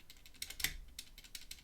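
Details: ZSA Moonlander keyboard's large triangular stabilized thumb keys before modification: sharp key strikes, each with a thin metallic buzz; stabilizer rattle, later reduced with heat-shrink sleeve and Krytox lubricant.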